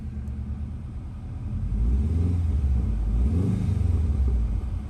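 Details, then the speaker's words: 2006 Subaru Outback XT started right after an oil change with oil at the full mark: smooth, even low rumble that picks up slightly after start and settles, no ticks or knocks; engine starts beautifully and runs healthy at idle. "So now we'll fire it up and make sure it runs really good. Okay, so let's start. Starts up beautifully."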